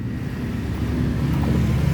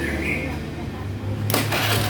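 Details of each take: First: Honda Beat FI scooter, MIL lit, O2 sensor wire broken: low, uneven starter churning with no firing at all. The no-start comes from the injector spraying constantly and soaking the spark plug. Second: Honda Beat FI scooter that had a rough starter and stalled because the injector kept spraying; after injector replacement and fault-code reset: starter whirs, engine catches and settles into an even idle with no misses or knocking.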